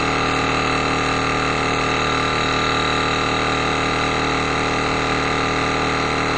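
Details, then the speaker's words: Reynolds Handi-Vac battery hand vacuum pump on freezer bag, batteries weak: steady buzzing motor hum whose note changes and turns slightly labored as the bag tightens up; normal pump note at full vacuum. "But listen to the noise. You'll hear it when it starts getting tightened up. You'll hear the noise go a little bit different, and it's going to be coming up here real soon."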